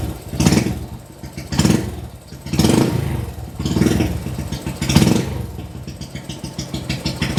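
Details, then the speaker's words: Kawasaki Binter Merzy carbureted motorcycle with too-large pilot jet: lumpy, uneven blips about once a second over a soft idle, black smoke and fuel smell from exhaust, spark plug brown-black; running rich from oversized pilot jet. "Kondisi knalpotnya tadi itu sedikit mengeluarkan asap yang hitam. Ya, itulah dia efeknya kalau kita menggunakan pilot jet yang sedikit lebih besar."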